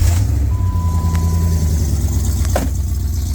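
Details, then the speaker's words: 1998 Jeep Grand Cherokee Limited 5.9 ZJ V8 right after start-up, on the exhaust it came with: loud deep burble with a raw, blowing edge; exhaust leak at a poorly welded joint, a Flowmaster replacement planned. "So I'm not a big fan of this exhaust. This exhaust came with it, and it has kind of an exhaust leak because they weren't good at welding."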